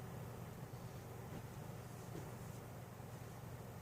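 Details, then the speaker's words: Casablanca Four Seasons ceiling fan on a solid-state control (Slumber Quiet control failed), low setting around 0.24–0.43 A: only a soft steady low hum under room noise, no buzz or whine; runs bedroom-quiet, normal. "So far, I can't hear it. I can't hear anything. Eighth of a turn, 0.43. I hear a little bit, but it's probably bedroom quiet even."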